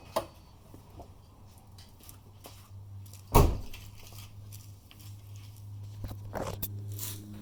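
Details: Subaru Forester 2.5 XT automatic at idle: engine hum broken by sharp single clunks on every shift from park to reverse and back to park. The dealer diagnosed a bad CV axle, and the noise was gone after CV axle replacement.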